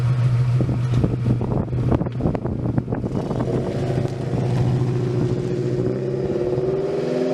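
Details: 1999 Toyota Tacoma start after installing a Walbro 190 LPH fuel pump: starter churns briefly, engine catches and settles into a steady, even idle with no misses or knocks.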